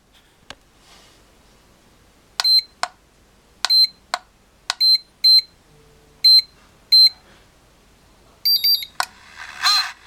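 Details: Turnigy Accucell-6 charger at charge start: beeps, then fan gives a rough pulsing whir about 1.4 times a second, clearing after about 10 seconds with charging working normally; abnormal cooling fan noise at start-up.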